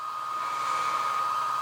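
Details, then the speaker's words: HobbyMate D6 Lite dual charger with its power supply unit, in power-supply output mode powering a soldering iron: steady high whirring rush with a fixed whine as the cooling fan runs at full effect, pretty loud. "wow that is the fan running at full effect and it's really going for it now it's pretty loud"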